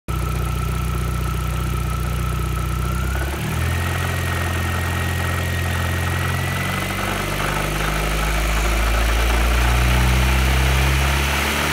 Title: B5 A4 1.8T engine knocking